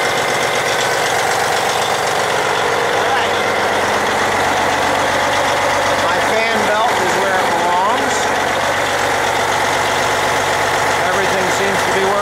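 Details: Diesel truck after water pump and heater hose replacement, idling; no water or oil leaks found, steam is excess coolant. Steady, even clatter with no knocks or misses; normal idle.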